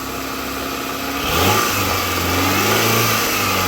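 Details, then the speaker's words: Honda CB7 Accord bought as a test car, first start, the start sounding bad and codes stored: idle blips up sharply around one second, then holds a fairly steady raised hum without knocking; seems to run okay. "Yeah. Seems to run okay. Go ahead and cut it off."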